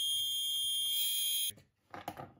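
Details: Axial SCX10 Rubicon RC crawler steering servo, opened up with gear teeth intact: a shrill, steady high-pitched screech for about a second and a half at switch-on, then it cuts out; the servo is dead.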